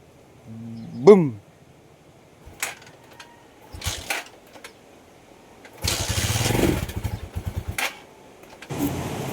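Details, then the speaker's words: Rusi Macho 175 motorcycle after spark plug replacement: engine catches for about a second with a rising note then dies, only clicks follow; spark now good, stalling traced to water in the tank and carburetor. "So dito ah nagano na siya nag aandar na siya pero hindi tumutuloy."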